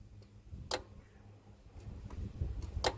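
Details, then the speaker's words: Hyundai Santa Fe SM 2.7 V6 with A/C system out of refrigerant, low-pressure switch preventing engagement; compressor clutch fed directly from 12 V jumper pack (positive to plug wire, negative to body) gives two crisp clicks, clutch engaging and releasing normally. "so what i've got here is my 12 volt jumper pack i've got the positive lead going down to the small wire which in turn is going into the plug which is there on the compressor and the negative has gone to the body so when i turn this on hopefully she'd hear the clutch fire"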